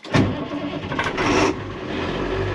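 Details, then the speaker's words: 2001 International 4700 diesel plow truck, cold after sitting a couple days: after the wait-to-start light clears, it cranks briefly, catches with a loud burst and settles into a steady, even idle; clean cold start. "Let's crank her. And this is cold. It's been off for a couple days."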